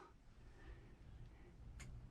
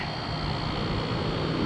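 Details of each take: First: Camper rooftop air conditioner switched to cool: a single sharp click, the compressor runs, but there is no fan spin-up or airflow. Spinning the fan wheel by hand starts the motor. Failed blower fan motor and capacitor. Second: Camper rooftop air conditioner after the fan motor and condenser were replaced: steady, even hum with a thin high fan whistle, no rattles. Compressor and fan running normally.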